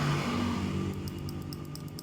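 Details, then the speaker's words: Honda Vario 125 with a failed ECU: the injector, measuring a normal 13 ohms, is bench-tested by powering its solenoid. A crisp, regular ticking of about five or six clicks a second, so the injector works normally. "Dengar gak? Bunyi cetik gitu ya. Berarti ini normal."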